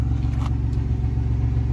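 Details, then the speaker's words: 1990 Dodge Grand Caravan LE, cold start at about 35°F the day after being revived: steady, even low idle rumble; the earlier sticky-lifter tick is gone, likely freed by a heat cycle; normal idle. "yeah that sounds good there's no noise"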